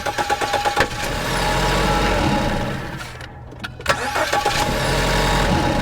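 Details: 2014 Ford Escape cranking and starting with drive belt removed, microphone at engine: sharp rapid clattering knocks about three per second that fade once running; noise persists after new tensioner and with belt off.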